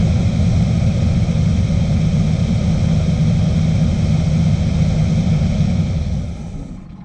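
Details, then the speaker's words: 1972 Chevrolet C10 shop truck running on varnished fuel that sat in the tank, with two gallons added: deep, lumpy V8 rumble that tails off and dies; tank likely to be cleaned or replaced. "as you can see that is just straighten nastiness pretty much varnish I added about two gallons in the tank uh so this is just what was sit in the tank that's running through it"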